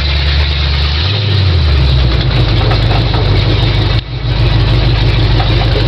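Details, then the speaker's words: 1974 Ford F100 with 351 Windsor V8 and C4 automatic on a road test drive, work in progress: deep, even V8 rumble, pitch lifting briefly then settling, no knocks, misses or rattles; sounds good. Normal running. "go yeah yeah yeah yeah yeah she sounds good sounds good"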